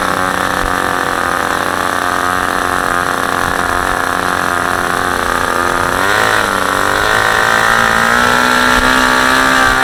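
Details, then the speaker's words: Super Tigre G90 glow engine on a test stand, third run, about 10% fuel, supplied Super Tigre plug, APC 14x6 prop; steady high-pitched buzz, smooth and even, pitch lifting slightly after six seconds; runs extremely well, normal running. "that is not the case obviously as you can see this engine runs extremely well and I'm very impressed with it"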